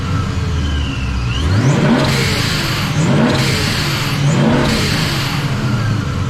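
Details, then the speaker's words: Supercharged "Trackhawk Killer" build with reworked top end, warmed up in the shop: deep, loud exhaust rising smoothly through three quick blips to about 3,000 rpm, settling back cleanly; revs freely, sounds healthy. "Tell me that doesn't sound good. Like, come on. That was only to about 3,000 RPM as well."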